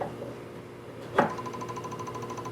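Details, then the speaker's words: Lambda Omega MML 400 switch mode DC power supply (SMPS), failed, no schematics, before repair, cover on: switch-on click then faint fast regular ticking over a thin high tone, outputs only about 2 V and 12 V; suspected restart cycling, not confirmed. "you can see same kind of little ticking sound with very low voltage 2 and a 12 volts or so so definitely not correct"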